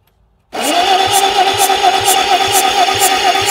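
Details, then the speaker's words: 1950 Bucyrus-Erie 22B cable shovel, sitting since 1999, cranking after heads bolted back on and torqued and cylinders cleaned, mag switch on; starter grinds with sharp pops about twice a second; cranking with intermittent firing pops. "a lot more healthy popping going on now"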